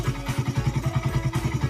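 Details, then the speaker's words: Suzuki Satria FU 150 cc after repair of a cam chain (keteng) replacement with the timing mark wrongly set, shims reset: small single ticks at a steady, even idle, about eight pulses a second, no misses; now smooth and healthy. "dan ini kondisinya udah halus ya lur. Sayangnya tadi sebelum dibongkar emang nggak didengarkan ya, jadi suaranya perbedaannya lumayan jauh ya."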